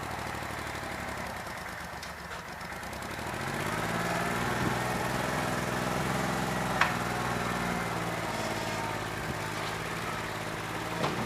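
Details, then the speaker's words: New Holland 1320 diesel tractor with a bad injector, running on about 2¼–2.5 cylinders: steady drone with an uneven, lumpy beat about three a second; owner thinks it needs an injector. "We're running on 2 1/4, 2.5 cylinders that don't run too bad. I think it needs an injector, that's what I'm over here playing with."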